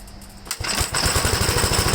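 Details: 1969 Gravely LI intermediate-speed single-cylinder tractor: engine catches after a pull and settles into a quick, choppy, uneven beat, running rough and worse once warm; cause not confirmed.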